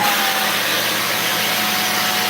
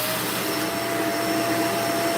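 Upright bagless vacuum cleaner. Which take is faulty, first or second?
first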